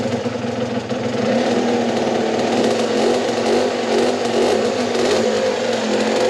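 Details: Rebuilt Aprilia SX50 two-stroke, just refilled with two-stroke oil, coolant and fuel after the rebuild: buzzy high steady rev with a crisp even note, no misfire or rattle, healthy.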